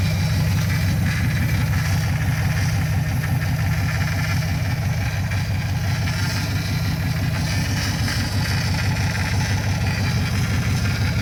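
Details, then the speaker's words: First start of an LS V8-swapped Chevrolet S10 with the belt on: a deep, steady, loud V8 idle, even and smooth with no knock or miss. The MSD box shows the alternator charging, and the idle is maybe a little low. "Well, she's running with a belt on it. It is. Yeah, you can see alternator's charging according to the MSD box. You can kind of see where we're idling at here. Maybe a little low on the idle."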